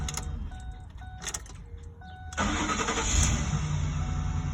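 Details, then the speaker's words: Lincoln Navigator 5.4 L, intermittent crank-no-start: dash chime, then a harsh grinding crank because the starter drive is not fully engaging the flywheel; fixed by replacing the starter. "I was able to get it to act up one time you could hear the grinding because the starter is not actually shooting out all the way"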